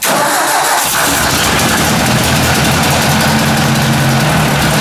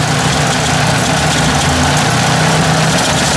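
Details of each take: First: Ford 800 tractor first start after long sitting, fresh oil: fires quickly, settles into a steady even idle with throttle blips and no valvetrain tapping; good oil pressure, carburetor icing noted. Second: Ford 800 petrol tractor idling after an oil fill: uneven, lumpy beat with faint irregular stumbles; owner suspects the carburetor, which is icing up, needs cleaning and notes it may run better gravity fed; rough running, cause unconfirmed.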